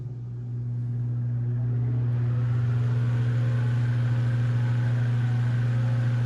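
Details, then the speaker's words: Antique Manning Bowman table fan after oiling the motor front to back and moving the blade hub off the front sleeve it rubbed: steady low motor hum swelling to speed with no scraping, rubbing or rattle; normal running. "that sounds so much better I bet this is more powerful than alasco 3733"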